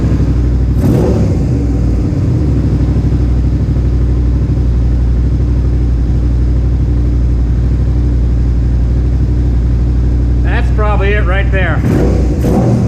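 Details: Suzuki SV650S carbureted V-twin, warm, during carburetor synchronization: steady even idle with deep regular thump, no hunting or stumbling; carbs now in sync, normal idle.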